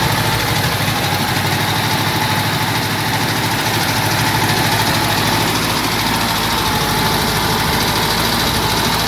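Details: Cox model engine idling with a busy, uneven clatter and a rough low beat; some mechanical noise is present, cause unclear.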